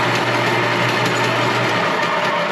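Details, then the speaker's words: Copper King wire stripper: a smooth, steady low hum with no whine or gear noise. Running normally, the quietest in a long time. "probably the quietest it's been in a long long time."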